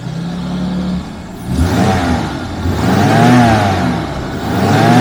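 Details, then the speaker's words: 1991 Jaguar XJS V12 convertible on a mid-winter warm-up at 5°C, both thermostats now open and fully warm: smooth, even idle hum rising cleanly on revs and settling back without a miss; silky smooth, running really well. "Silky smooth and running really well."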